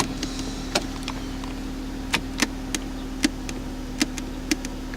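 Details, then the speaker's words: Ford Escape power window: motor hums steadily with irregular sharp clicks and squeaks as the glass sticks on its way. "you can hear it sticking into the it drives me crazy."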